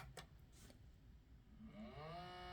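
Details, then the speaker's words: Sony CDP-CX400 400-disc CD changer at power-on; small motor whirs up to a steady rising whine but the carousel doesn't move, then a table error; carousel and loading belts believed worn out and due for replacement. "it just does that and it just sounds like um there's literally the belt is already gone so we'll just check that out uh it should open which is fine but as you can hear it it's trying to uh move the the carousel and then it gives you a table error"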